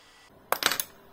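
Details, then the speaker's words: Repaired Bob Beck protocol magnetic pulser (230 V mains, resoldered power board), paddle held above a screwdriver: a sharp pop followed by a quick cluster of metallic clicks from the relay, then quiet; a strong, healthy pulse. "Și acum a dat un impuls, dar vorbeam eu. O să auziți că face un poc și se aude și releul."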